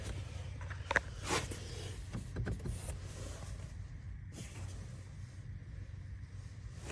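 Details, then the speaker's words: 2016 Honda HR-V blower motor after being taken apart and refitted: low, steady fan hum with no rattle, scrape or ticking from the cage; earlier noise gone. Normal blower motor operation. "on as you can hear noise is gone other than the actual normal sound it should make so fixed it we're good and it didn't cost us a penny"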